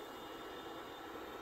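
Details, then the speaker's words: BenQ W1080ST DLP projector, made November 2013, smoke-dusty, colors flicker after running: steady even airy whoosh with faint high whistle, no rattle or rubbing; blower fan healthy. "the fan sounds good so yeah let's shut it down and then we're going to take the top off and just give it a good once-over"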